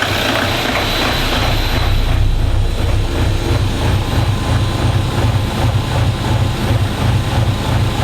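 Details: Diesel at warm idle in a DervBus project, after initial trigger and timing setup, extractor running; deep even thrum about three beats a second, steady with no misses or knocks — normal idle.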